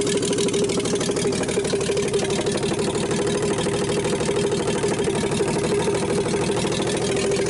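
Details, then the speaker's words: 1960s Rambler 195.6 engine on first start with choke on, oil full: steady hard knocking about three a second over a rattly idle; deep bottom-end knock, long-standing, likely worn rod bearing. "I hear it, it's hammering like crap. It's knocking hard."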